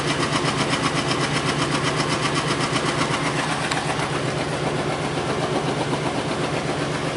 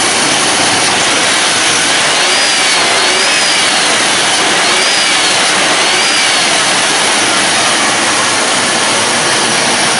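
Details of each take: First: Lincoln Town Car Ford 4.6L V8, warming up with coolant added, no check engine light: steady, slightly uneven pulsing idle, about two to three beats a second; still misfiring on an unidentified cylinder. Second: Lincoln Town Car, Ford 4.6L V8, that previously fell on its face, restarted after the repair with coolant drained and being refilled: steady, even idle with no misses or knocks and a constant airy hiss, healthy again.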